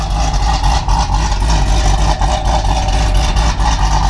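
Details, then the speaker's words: 2019 Camaro SS, tuned, ported heads, Stage 3 cam, 1 7/8 headers, catless X-pipe, E85, nitrous kit with standalone fuel system; two-step raised from 1500 to 2500 rpm, deep V8 held steady with rapid regular limiter pops; normal two-step launch limiter. "I'm gonna turn that up to 2500 and we'll do a few two steps and show you guys just how that sounds and check it out guys that thing sounds good"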